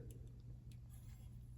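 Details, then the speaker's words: 2001 Specialized RockHopper bicycle after rotor truing; light scraping ticks each wheel rotation over a quiet hum; disc rotor still rubs pads at one spot, possibly bumped. "So, that to me sends still some binding. And it's annoying because I thought this was done, but somehow maybe it got bumped when I wasn't here."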